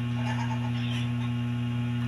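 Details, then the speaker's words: Steady low mains hum from a DB Audio integrated amplifier, already repaired for DC output by replacing four transistors, caused by a bad ground connection at the tone control; rust was seen. Lifting that connection makes the hum disappear. "Itong connection na to, try natin i-hang. Oh. Nawala na yung humming natin, no?"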